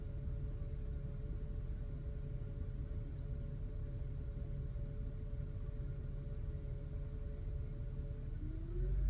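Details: 2003 Toyota Camry with steady thin whining noise over engine rumble, rising in pitch as revs rise; cause unknown.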